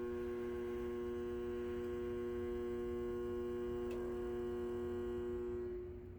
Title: Gr1 relay buzzing noise